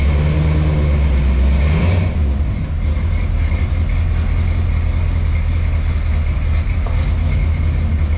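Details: 1979 Ford F100 after engine removal and reassembly: a deep, even rumble that rises with throttle and settles, with no knock or tapping underneath. Normal running; the previous engine noise is gone, though the clutch still slips.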